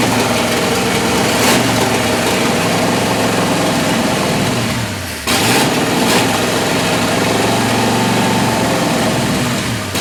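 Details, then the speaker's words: Martin rat rod engine, first run in over 20 years, straight open headers, three carburetors: loud fast idle that hunts and dips before recovering; rough high idle, owner plans center carburetor rebuild for smooth idle. "uh warms up quick sounds all right uh I guess I'm GNA have to rebuild that Center carburetor to try and get a nice smooth idle out of it"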